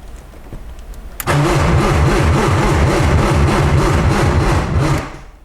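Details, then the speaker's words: 1995 BMW E36 M3 after long sitting, on jumper cables: starter spins steadily about three and a half beats a second for four seconds, never catches, no fuel pump heard running; crank no start. "still nothing i don't hear the fuel pump running at all"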